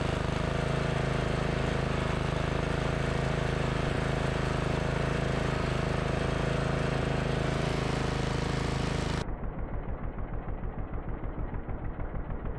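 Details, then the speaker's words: MTD Yard Machines 638 RL riding mower that started then died, after draining and replacing gas tank, fuel line, fuel filter, carb cleaning, new air filter and blades, after sitting four hours: steady, even single-cylinder drone then regular thumping idle; normal running. "मुझे आखिरकार यह सही चल रहा है, मैं इस machine से गुजरा, गैस टैंक को खाली कर दिया, इसे बदल दिया, ईंधन लाइन बदल दी"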